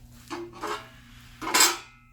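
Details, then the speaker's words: 5.3L LC9 engine rebuild with a stroker crank: three sharp metallic clanks as the crank is turned by hand with a wrench, from the connecting rods tapping the stock oil deflector/windage tray. An aftermarket tray made for stroker cranks is the planned fix. "hear that noise that noise is the connecting rods tapping the windage tray"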